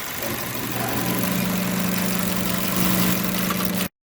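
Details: GM Chevy 1.5 engine started after replacing the fuel rail with injectors to fix a misfire, left running to purge air; steady even idle, constant low hum, no stumbles or skipped beats; running cleanly.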